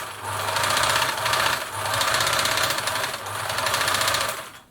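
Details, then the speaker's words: German-made Singer 760 sewing machine being assessed before lubrication: runs in bursts with a dry busy rattle over the stitching rhythm; hook race dry, noise drops noticeably once oiled. "A little bit rattly. I can hear the hook here desperate for some oil."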